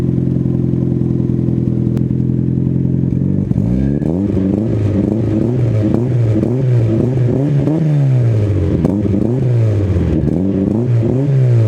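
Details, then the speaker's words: Car with a new Spelab 2.5-inch-inlet, 4-inch-outlet performance muffler, recorded two days after install once the fiber packing broke in, now slightly deeper: steady deep idle and smooth rev blips, no rattle or drone; normal, healthy exhaust note. "so there you guys go car sounds amazing this clip is now like two days later and the exhaust actually obviously got broken in"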